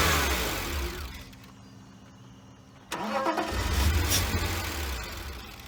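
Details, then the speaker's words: 1999 BMW 328i bought as a cheap salvage car: long crank, then it fires with a thump and idles rough for a few seconds on starting fluid sprayed in the intake. Owner suspects fuel isn't reaching the engine from the tank, or bad fuel, despite 10 gallons of fresh fuel added and the pump sounding like it runs. "okay i've been uh messing with this a little bit and it will fire uh put a little fuel or a little starting fluid in the intake and it does fire so it's i don't think it's getting fuel to from the tank to the front"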